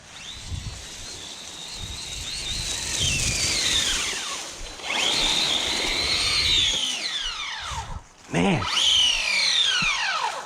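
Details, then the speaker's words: Redcat Kaiju EXT RC truck on 3S: loud high-pitched gear whine rising and falling with throttle over the motor; pinion mesh has tightened against the spur, costing speed. "that has gotten even tighter yeah am losing speed because of that pinion being too tight i was knew i was hearing it being loud"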